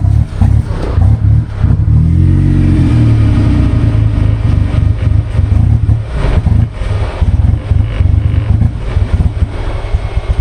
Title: Troubleshooting Goblin Misfire